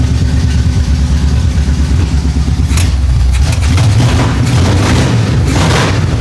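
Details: 1975 Chevy Monza 2+2 with 350 small-block V8 swap, sat about 20 years, after new distributor fitted: deep, loud rumble settling into steady idle between throttle blips, no misfire or stumble; normal idle and revving.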